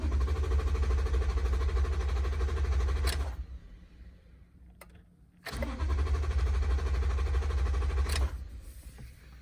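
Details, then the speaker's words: Truck V8 cranks strongly and quickly, not lagging or dragging, in two bursts but never fires; cranks but won't start, with no fuel getting to the engine. "so no matter how many times I try to turn over the engine it will never start and you can hear that it's given a nice hard start it's not lagging or dragging"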